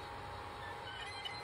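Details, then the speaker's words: MicroSwiss Bowden dual gear extruder on a Creality Ender 5 Plus 3D printer runs with a thin, high screech from misaligned drive gears; knob and reassembly didn't help, manufacturer's suggested fix silenced it. "installed it the same way fired it up and well you can hear the screeching that's not good"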